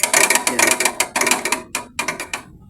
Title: maingay na Aircon na parang crasher #dailyvlog #airconditioner #homeappliance #technician